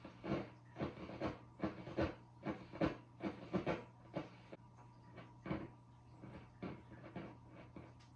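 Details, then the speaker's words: Peavey 6505+ tube amp, long stored unplayed: irregular bursts of scratchy crackle and pops over steady amp hum as dirty knob potentiometers are turned; owner plans to clean the pots. "those pops and cracks can be fairly loud. And with living in an apartment, it's kind of annoying, and it's pretty bad in this one."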